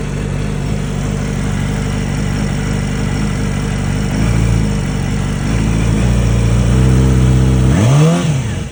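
A busy, clattery idle with an uneven pulse, then a quick rev that rises and falls; something sounds off, but the cause isn't clear.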